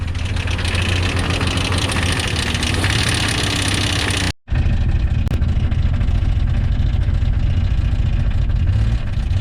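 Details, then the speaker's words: 1999 Jeep Cherokee XJ 4.0L, started with a jump pack. Heavy, loud clattering at a rough, unsteady idle as the engine struggles to keep running and won't idle on its own; the racket's source is unknown. "Oh! There's a delightfully fine racket for the engine to make. Can you hear that?"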